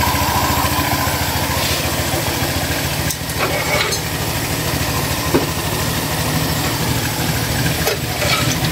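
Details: Honda Click 150i scooter after repair of a no-start fault: small single-cylinder putter stays steady with some background noise and no misfire; starts and idles normally.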